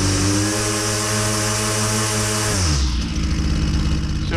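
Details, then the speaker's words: Husqvarna 122C string trimmer, carburetor high-speed jet turned richer from about 6,830–6,870 rpm: steady high rev drops in pitch into a burbling uneven beat; too rich, four-stroking. "are watching my hand you can see me riching up that high speed and then it's start for stroking that's what I'm talking [Music] about"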